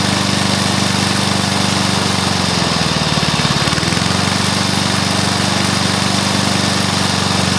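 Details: Briggs & Stratton mower engine (believed early 1984), first start after rebuild with new piston, rings and valves for oil consumption (loose rings, worn valves); steady even single-cylinder putter at constant speed, brief dip midway; normal running.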